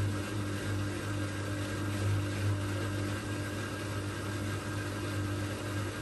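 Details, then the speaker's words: Old Migatronic W1 1613 washing machine, first test wash after rebuild with new stainless drum spider and new bearings. Steady low hum with constant whine through tumble, no drum rumble or grinding; owner traced noise to drive motor, since it sounded fine with belt off. "I think it makes like a we bit of a weird noise but I've noticed that the weird noise it's making like it's actually from the motor"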